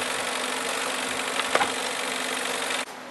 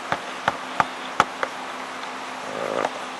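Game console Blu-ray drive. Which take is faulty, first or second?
first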